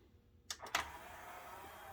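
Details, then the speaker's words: Yamaha CDC-755 five-disc CD changer whose tray would not come out, after repair, pressing open/close: two quick clicks then a quiet, even motor whir as the tray slides out smoothly; the repair may not last like the original but works properly. "and it's you know it's got power it's uh it's probably not as good as the original but honestly this will work for quite a long time"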